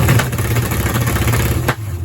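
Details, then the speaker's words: Charger with a low-deck big-block Mopar, factory electronic distributor and new MSD 6AL box, rev limiter set at 2,000 rpm: the engine climbs, then stutters and pops in ragged bursts as the ignition cuts. "Oh, yeah. Boy, that sounds interesting, right? That's a good how to burn up your exhaust valve or something. That has to be bad."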